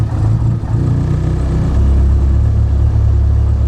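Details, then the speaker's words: Ford Focus ST idling cold on a tune revision flashed for the track: low rumble surges and sags unevenly, then drops into a heavier, rougher beat close to stalling; owner suspects the cold engine and problematic revision, unconfirmed. "So it has a hard time holding an idle. 1, because it's cold. 2, because this revision since I got it has been kind of problematic."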